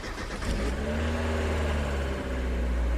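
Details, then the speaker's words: Drift car engine started after a change from the wrong oil, previously ticking from the lifters; catches, flares, settles to smooth even idle with no ticking; healthy. "oh my gosh it's so quiet now that's awesome yeah wow guys there's no ticking anymore it's so much quieter"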